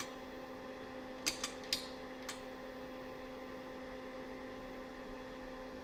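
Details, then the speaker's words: Ash Flash Discoverer II fluorescent lantern ballast on bench supply, voltage raised past 10.5 V: quiet steady hum, handling clicks, no ringing or rising whine; normal current draw now, earlier over an amp, paper capacitor suspected failed. "So if I crank it up now, see, now it's drawing a normal amount of current. Oh yeah, it's drawing a totally normal amount of current now."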